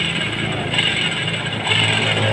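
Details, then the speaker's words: Honda Vario 110 CVT gearbox turned by hand before disassembly: rough, gritty ratcheting rattle with a raspy high edge; worn pulley shaft and worn gearbox gears, expected to whine when ridden. "pasti motor ini kalau untuk jalan nanti akan menangis untuk area gearbox di sumber permasalahan motor ini sangat kompleks pertama ada di AS pully ini yang sudah aus"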